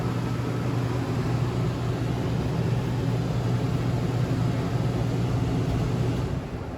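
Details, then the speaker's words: 2018 Coachmen Apex 276BHSS travel trailer, furnace mode with air conditioner off: steady low hum of the blower pushing air through the floor vents, even and smooth, then fading; normal furnace blower operation. "It'll turn off the air conditioner and turn on the furnace. And the furnace is moving its air through all the little floor portals that you got off on the walls there."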